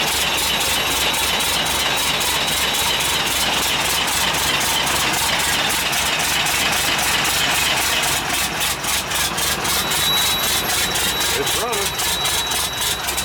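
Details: International 7100 with DT466 diesel, first start after in-frame overhaul (fresh head, liners, pistons, bearings, radiator), after bleeding injector lines: crisp, even diesel clatter at idle, close to four ticks a second and steady throughout. Healthy, settled idle.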